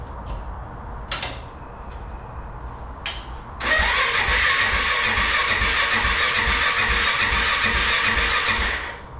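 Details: Kawasaki KFX400 quad after crankcase replacement, engine reinstalled and a bad electrical connection fixed, cranked without fuel tank to circulate oil and check spark: short starter bursts then steady quick cranking about six seconds, spins freely without firing; good spark found.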